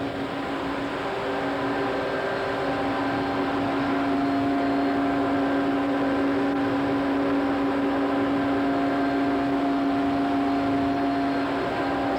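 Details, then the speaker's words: Coke-handling pulverizer mill fed from weigh belt, driven by 300 hp Siemens Allis motor through gear reducer: loud even roar with steady low drone, no wavering or knocks; normal operation. "at this time we'll take a listen at the Mill so we can hear it in operation"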